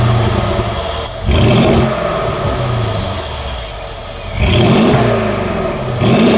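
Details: Mercedes AMG SUV loaner, driven while the owner's 2017 C63 S is at the dealership for a noise: V8 fires up, a few smooth blips rise and fall cleanly with a deep even burble between them, no misses or rattles; healthy.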